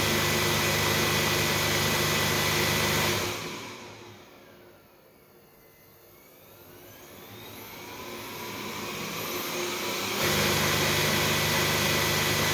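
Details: Xiaomi Mi robot vacuum showing an Error 1 fault, bought faulty: the fan spins up to a steady whirr and the tone sweeps down and back up, with no drive motor sound. Starts but doesn't move; cause not confirmed.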